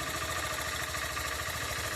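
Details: Honda CG160 zero-km at idle, happens at every morning start: quick steady idle carrying a busy, even mechanical clatter over the low thrum; unusual engine noise, cause not pinned down.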